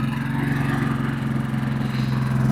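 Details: Champion 4500-watt gas generator, in eco mode: steady, loud low drone holding constant speed with a slight even pulse. It runs normally.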